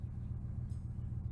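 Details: 2000 Ford F150 5.4L V8 after replacing the #5 (right front) coil pack and clearing fault codes: low, steady rumble pulsing evenly with no stumble or skipped beats; idles smoothly.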